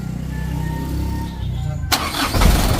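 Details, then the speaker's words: Ragasa 100 PS diesel engine after replacing the injection pump plunger, hand-pumped then started: low chug that picks up strongly and runs on, firing easily; normal diesel start. "oke teman-teman untuk mesinnya sudah hidup teman-teman ya hidupnya sudah nyes tidak sulit"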